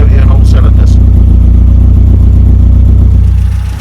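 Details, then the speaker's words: Mini with an A+ 998 engine and HS4 carb, after new grade-5 spark plugs (down from 6) and a leaned-out mixture: a deep, even idle near four beats per second with no missing pulses. Idles perfectly. "I've just replaced the spark plugs put the fives in Baseline the mixture and listen to that idles perfectly now"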